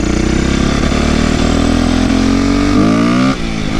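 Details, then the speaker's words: 2008 Yamaha YZ450F, not fully warmed up, after an oil change and chain tightening: single-cylinder bark with sharp pops on throttle. Still popping; valve clearances were later found way out of spec. "Still a little popping, but it's not all the way warmed up yet, so. Pop, pop, pop."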